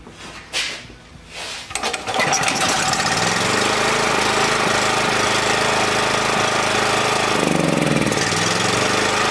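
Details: Small generator, reassembled, still only running on choke: cranks, catches, runs unevenly and sags, dying once choke comes off; runs only with carb spray in that corner, owner suspects an unseen crack in the head sucking air.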